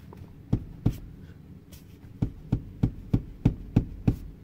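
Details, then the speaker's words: Infiniti M35: clicking from the seat, which moves all over when rocked; dull sharp clunks about three times a second from a broken seat bracket, repaired by welding. "all right like i mentioned the client said the vehicle was making a clicking sound and the seat was clicking"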